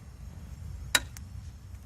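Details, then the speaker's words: Residential gas meter with the furnace running: a big click roughly every 5–8 seconds, the needle jolting with each click, over a quiet hum. The meter is clicking; cause not found, and a gas technician later fixed it. "all right the furnace is running and this is my gas meter and as you can hear every six seconds we get a big click like that maybe every five seconds"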